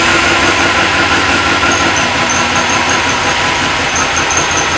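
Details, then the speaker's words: Supercharged LS1 V8 Holden One Tonner, second start-up, not yet tuned: loud lumpy idle with a thin high chirp early on; the accessory belt is squeaking, and belt alignment is suspected. "A little belt squeak there. We'll have to look at that."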